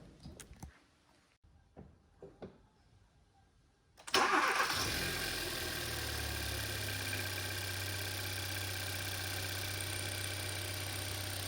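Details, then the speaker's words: 2012 Hyundai Veloster manual, G4FJ 1.6 turbo, after engine teardown and reassembly to cure knocking: first start, cranks, catches and settles into a smooth even idle with no knocking noise. "start it starts and I think there's no knocking noise"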